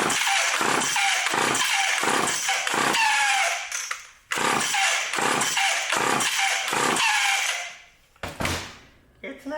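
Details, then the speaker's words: Old vintage Craftsman Power Sharp self-sharpening chainsaw, switch on, pulled many times to see if it draws fuel, no clear fuel line to check: rope pulls about three a second, brief rasping bursts, never catches; cranks but won't start. "we're not going to be able to see if it's pulling the fuel up but we should should know something after I pull it a bunch of times"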